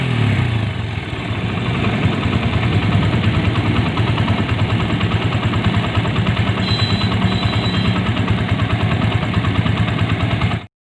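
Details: TVS Apache single-cylinder idling before repair: a busy, rattly idle with a coarse, uneven chatter over the exhaust beat, fixed later by rebuilding the engine. Abnormal engine noise.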